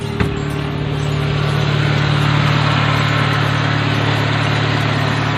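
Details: Nissan Sentra B14 ECCS engine that would not start, now fixed: a steady, even engine note with a low firm hum and no misses or knocks as it fires and settles into a smooth run. Normal idle.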